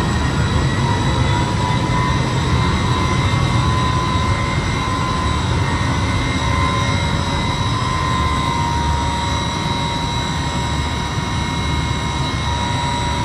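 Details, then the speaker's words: Electric York 800-ton centrifugal chiller charged with R-134a, starting in a live machine room with other chillers running: a loud, steady roar with constant high tones as the compressor comes on, a normal startup. "now we can hear the machine start can hit a compressor start our spin"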